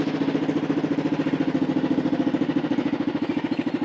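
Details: 2008 Kawasaki KLR650 single at idle on a hot ~40° day, after the $0.22 needle mod (drilled carb slide) to fix a bog at 115 km/h: quick, even thumping with no stumble or hunting, a healthy idle.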